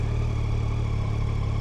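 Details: 2025 Yamaha Tracer 9 GT with Y-AMT automated gearbox, just started and idling in neutral: steady, even low hum with a smooth, unchanging beat and no knocks or rattles; a healthy idle.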